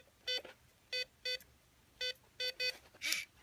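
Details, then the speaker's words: Original Securam digital keypad lock on a Big Horn 19ECB Costco safe, before conversion to an S&G 6730 dial: six crisp keypad beeps, then a brief motor whir as the bolt retracts; code accepted. Normal unlock cycle. "So you hear that motor thing. So what happens is as soon as you hear it, you would turn the door and it pushes this back."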